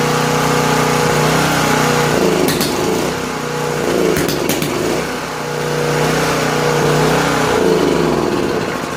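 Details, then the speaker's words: Late-1980s Honda EG2500 generator stored 4–5 years, restarted with choke after spraying linkage: speed rises and sags every couple of seconds, surging; float bowl then found to hold ample fuel, so fuel level doubted as cause, not yet confirmed. "So I stopped it there to see what fuel's in the fuel bowl when that began its thing there."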